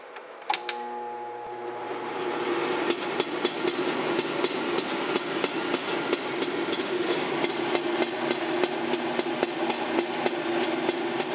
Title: Very noisy internal damper at exhaust hood. Lauderdale home inspection